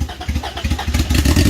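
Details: First startup of a turbo B18-swapped Honda: uneven, stumbling firing that surges and sags, needing the throttle held open to keep running. Owners suspect the distributor is 180° out; they noted the distributor moving a lot. Cause not confirmed.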